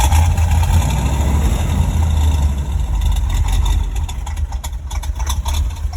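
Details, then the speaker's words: 1977 Corvette V8 with an aftermarket Weber carburetor, just started: deep, slow idle loping at about four beats a second, lazy and low; idle speed very low and needs adjusting. "It's like I said, it needs the idle adjusted because the idle very low."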